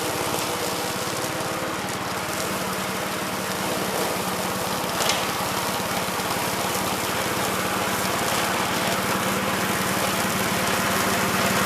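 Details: 1969 Gravely C8 walk-behind tractor, single-cylinder engine fired up in the morning after repairing its no-high-range fault (worn ring found): steady, even putter around 3.5 beats a second, no knocks or misses; running healthy.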